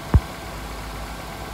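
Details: 2006 Honda Accord Tourer (7th gen) idling after first spark plug change to NGK plugs; short stretch of steady, even low idle after one small knock at start, no misfire or stumble; normal idle.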